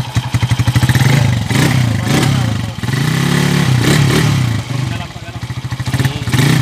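Engine picks up crisply and settles back through several blips, with an even exhaust beat and no knock or clatter on top; sounds healthy.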